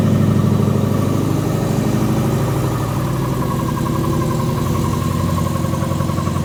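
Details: 2003 Subaru Impreza WRX, rebuilt engine bought locked up, first start, run briefly without coolant: rapid, steady idle with slight uneven flat-four burble, no knocks or ticks; normal idle.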